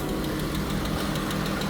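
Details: 3.6L Pentastar V6 petrol engine, freshly installed with a new Dorman aluminum oil cooler that is leaking again, idles with a light, quick ticking over its steady low hum.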